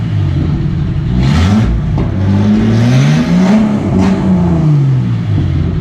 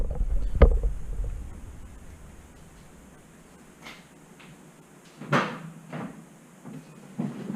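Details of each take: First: Catalytic converter cut off because its disintegrating honeycomb was blowing out, fuel injectors just replaced, now headers into a couple feet of pipe; deep, raw, booming exhaust rising and falling with throttle blips. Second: Engine start after replacing the fuel injectors with OEM-spec parts; it catches at once, idles high briefly, then settles into an even idle with no stumble and no fuel leaks; healthy start.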